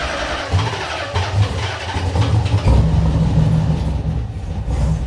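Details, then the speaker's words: Z V8 swap, first startup after rewiring, about half the relay box populated: cranks briefly, catches cleanly, revs and settles into a throaty V8 idle before shutdown; normal start-up. "Ah. It runs. You can kill it. Dude, we're back. We're back. Yeah, all the lights work. Starts right up with like half the that it's supposed to have in the relay box."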